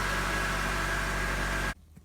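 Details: 2006 Honda CR-V 2.4L, 113,000 miles, first start after starter replacement: steady, even hum with low drone and no knocks, ticks or misses; normal idle.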